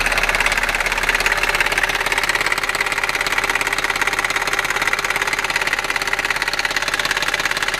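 Sharp, regular metallic clacking about two or three per second over the running engine; a nailing clatter, cause not yet known.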